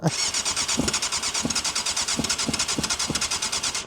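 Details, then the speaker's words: 1998 Yamaha YZF600R Thundercat, sitting since 2013, cranked on brake cleaner: the starter cranks steadily at about three turns a second with a few scattered exhaust pops but won't catch; it has compression and spark, and the carbs need a full rebuild. "It's going to run. Oh, almost. That was the exhaust on that."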